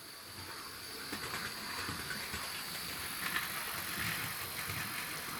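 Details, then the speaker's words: 2012 Hornby Class 60 model locomotive in EWS livery, after its worm gear was cleaned out; faint, light, even whirr at different speeds with no grinding or whine, running quietly as it should. "it's running really well isn't it it's as it should have been in the first place um so all those that said it was the you know all the worm gear needed cleaning out they were absolutely right"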